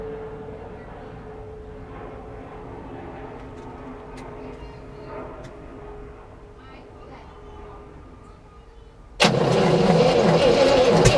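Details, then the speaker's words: 1967 Oldsmobile Toronado after new plugs, plug wires, oil and filter, throttle being pumped: quiet, then the starter churns loud and steady without the engine catching; fuel suspected. Cranking, no start. "okay so you're doing really good yeah yeah so keep pumping like that and then when it sounds like it wants to run i think just hold the gas down okay so that's gonna let a bunch of air and the rest of the fuel in to get it kind of running"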